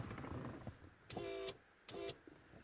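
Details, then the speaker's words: Audi TT Roadster, ignition off, roof already fully open, pressing open switch: two half-second electric pump whirs; pump wired directly from previous bad repair runs when it should not, overheating and melting wire insulation. "so basically guys what's happening is what is happening is that if you force it for too long once the roof is open you're gonna overheat those wires etc etc"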